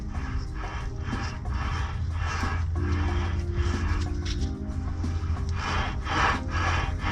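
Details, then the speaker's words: 2002 Chevy Silverado 1500 wheel bearing/hub assembly: loud, rough rasping grind repeating about twice a second as the hub is turned by hand; worn-out bearing needing replacement. "You can hear it though. I don't know if you can hear that or not. It's loud and grindy. That tells me she's done."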